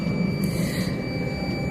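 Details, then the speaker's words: BS5 Hydra crane, ignition key just turned on, diesel rumbling: steady high-pitched beep warning of low air pressure. "ఈ sound ఏంటంటే beep sound air తక్కుందని అర్థం air తక్కుతుందని అర్థం చూపిస్తుంది అదే sound వస్తుందిన్నమాట"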